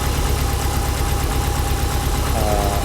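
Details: Subaru STI boxer, 5,300 miles on engine, cold start after transmission work and exhaust install: steady deep burble, even idle, faint light tick on top; normal injector tick, engine healthy.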